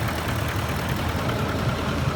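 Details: Ford F150 at idle: a faint, light tapping knock mixed into the low rumble. Owner wonders whether it is the VCT phaser or the chain tensioners; cause unconfirmed.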